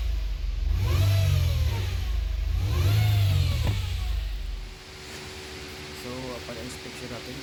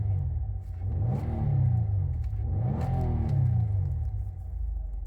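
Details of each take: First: 2017 Nissan Altima whine when starting and accelerating, pitch rising and falling with revs; fixed by replacing CVT oil pan and strainer. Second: 2017 Nissan Altima after replacing the transmission oil pan and strainer to cure a whine on start and acceleration: engine rises and falls smoothly through two revs with a clean low drone, no whine; transmission sounds healthy.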